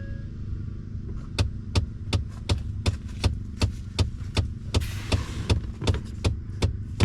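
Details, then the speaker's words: 2014 Ford F-150 EcoBoost FX2 with the battery reconnected: sharp, even clicks under the dash about 2.5 per second from a failing blend door actuator, the lower one visibly moving back and forth and needing replacement. "I'm curious if I hook up my battery, if I'll hear this thing clicking again."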